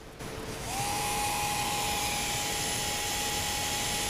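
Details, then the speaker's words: Hellcat MTB 180-size Nerf flywheel motor run on a test pack; steady high whine with a harsh gritty rasp, a horrible rough bearing noise compared with a smoother Rhino motor. "now if you hear that horrible rough bearing noise compared to that one which again isn't that good I don't think"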